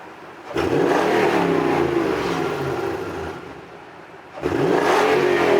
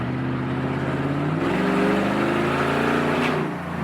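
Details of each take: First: 2007 Toyota Tundra V8 with newly installed dual exhaust, hard acceleration merging up a hill: deep even exhaust rising smoothly with revs then easing off, no rattles or drone; normal, fairly quiet exhaust note. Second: 2007 Toyota Tundra V8 with new dual exhaust, straight-piped with muffler and resonator removed: loud, deep, open roar under hard acceleration, pitch rising with revs; straight-piped exhaust.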